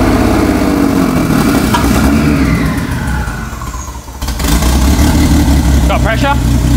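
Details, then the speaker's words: Six-cylinder Vancruiser (engine transcribed as '1SC') with an aftermarket Haltech ECU, first start after the build, throttle held open: uneven, lumpy firing, revs dip then pick back up, sounding like it runs on only four cylinders; cause unconfirmed. "That sounds like it's running on four cylinders, but that's all right."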